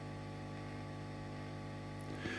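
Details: 1968 Twin amplifier: a steady low mains hum with a ladder of buzzy overtones. The hum grows when the ground lead is moved to the transformer common point and other ground points; ground loop hum.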